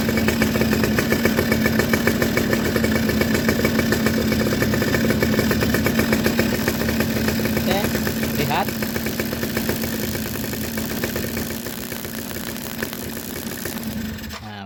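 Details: Suzuki RC two-stroke motorcycle with original CDI and coil, being checked for black, wet spark plugs and rough running: a fast, even popping idle at 3–4 beats a second, no throttle. Ignition is strong and healthy.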